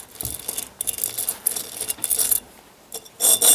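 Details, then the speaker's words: Ford 800 tractor front wheel hub, rusty bearing race turned by hand on removal: gritty, scraping grind in uneven bursts instead of a smooth spin; race is rusted and pitted and would quickly ruin a new bearing. "this is the one that had all the rust in it and you can feel a it's got a lot of problems that would eat up a new bearing pretty quick listen to this though it doesn't even turn"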